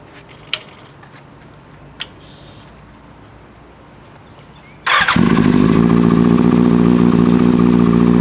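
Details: 2009 Kawasaki Ninja ZX-6R after a rebuild with a new fuel pump and wiring harness (the old harness burned from a bad ground): quiet until the starter catches, then a steady, even run with no knocks or misses. Normal running.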